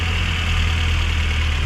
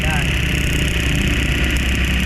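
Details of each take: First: Suzuki APV/Ertiga petrol engine at 111 km odometer, after ignition coil work on a complaint of rough idle, heavy vibration and low power, now idles with a steady, even low rumble and no misfire stumble. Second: Suzuki APV with low power and heavy vibration, idling: deep uneven rumble from a misfire; the ignition coil, which fires two spark plugs, leaks spark out its side, a strong ignition coil misfire.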